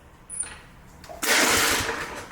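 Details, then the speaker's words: Briggs Touch-N-Mow spring-starter mower with spark plug wire disconnected: one quick whirring spin that dies without firing; no spark, so the one-shot spring start fails and the rope must be used. "see it spun the motor over but wouldn't start it so that's it that's your one shot it didn't start"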